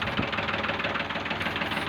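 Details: Ford tractor diesel during fuel system work, after nozzle check and setting, smoke now much reduced: rough idle with a sharp regular knock on every firing stroke; some problem is still noticed and the setting is still being checked.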